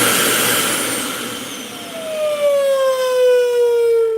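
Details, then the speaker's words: Dyson UP19 upright vacuum: a loud steady whistle, sliding slightly lower as the motor settles, over the suction roar. Air is leaking through a gap at the open side ball. "And what's happening is there's a gap."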